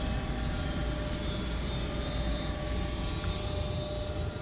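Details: Goodman 95% AFUE gas furnace, first official startup of the 2019-2020 heating season: a steady, even low rumble with a faint hum and no knocks, rattles or surging; normal running.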